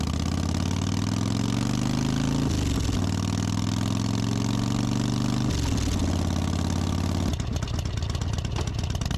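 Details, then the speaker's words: Harley-Davidson Softail that had been missing or fuel-starving, after cleaning a dirty carburetor enrichener circuit and refitting the original intermediate jet. Steady, even V-twin idle with a smooth low rumble and a brief blip; normal idle, problem fixed. "Ran great. No issues, no problem solved."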